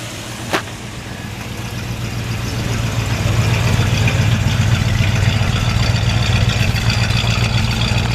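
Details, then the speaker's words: 1968 Chevrolet C10 with freshly rebuilt 350 small block, Edelbrock manifold and carburetor and ram horn exhaust, on a not-warm day. Low, even V8 burble at steady idle with no ticks, knocks or misses. Normal idle, nice and quiet. "so we're gonna start it up for you to let you take a listen yeah sounds really nice up here nice and quiet"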